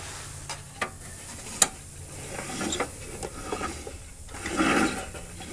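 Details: Pulley separated and turned by hand: uneven, sandy rasp with scattered light clicks instead of a smooth spin; owner suspects gritty bearing noise.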